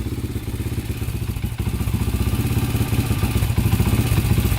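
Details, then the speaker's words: 2001 Honda 400EX single-cylinder quad after rerouting and setting the idle adjuster, choke off: even, steady, low idle with no stumbling or hunting, much lower than before, though still a little smoky. Normal idle. "well it's idling pretty good it's a little smoky though so still smoky choke is off"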